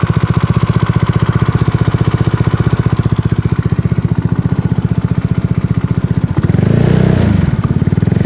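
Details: Tripple88 Zuma 164cc kit single-cylinder scooter engine; fast, even tick about three times a second over the idle that persists through a throttle blip; source unknown.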